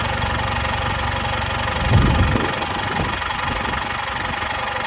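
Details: Jaguar XE 2.0 Ingenium diesel at idle: a loose, uneven metallic rattle, about four a second, over the diesel clatter from stretched timing chains; timing chain rattle.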